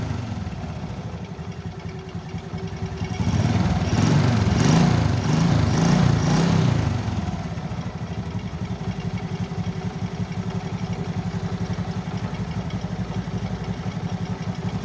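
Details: Motorcycle after repairing a stripped spark plug thread in the cylinder head without engine teardown; a snapping noise was traced to a loose exhaust clamp bolt. Starts immediately, small single settles into a steady even idle putter after a brief rev blip: normal idle.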